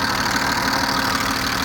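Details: BMW E34 with M50B20 engine, warm but not fully at operating temperature, at idle: fast, light ticking over steady idle; owner suspects hydraulic lifters or injectors, noise worsens when hot despite oil changes; oil pressure check planned.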